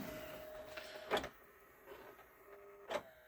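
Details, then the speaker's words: JVC 5-disc CD changer, long unused, previously jammed hard, after tweaking a wobble: faint motor whir with sharp clacks as the mechanism strains and stops; mechanism jammed. "And now it's making just horrible noises. I don't think I'm going to be able to fix this. Uh I think it's just too far gone. Things got jammed up in there really hard."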